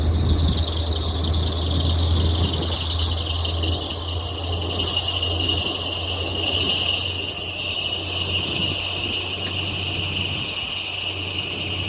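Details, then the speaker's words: Chevy G30 RV at idle after an alternator swap, with two spacers added to line up a pulley that had been getting hot. A constant high squeal persists; belt or pulley misalignment suspected. "going to go ahead and crank it over and see if we still get those squeaking noises and this pulley getting hot if so then we move on from the RV"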